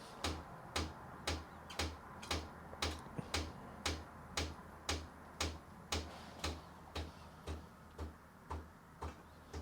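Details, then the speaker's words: Breville 870XL espresso machine, microphone at the pump, hot water/steam mode: steady even tick with low hum just under two per second, weak steam output; pump ticking, weak water pump suspected. "I'll put my microphone just where the pump is so you can hear the pump the way the pump works is not good not supposed to work that way"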